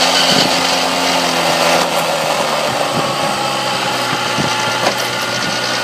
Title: 94 tomos weird noise